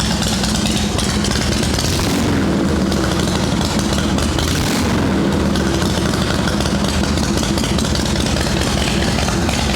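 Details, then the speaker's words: Shovelhead chopper V-twin after drying out overnight from rain: loose, lumpy idle holding steady for ten seconds without stumbles; fine now. Wet coil parts or spark plug lead are suspected, as the points and condenser are good. "It might have been the coil bits that got wet on the spark plug lead. That sounds fine right now."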